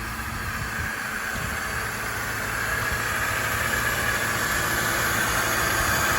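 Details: Acura RSX Type S with swapped K24 engine, running just after first start, smoke only grease from hands burning off; even steady idle under a fan-like hiss, no knocks, ticks or misses; normal idle.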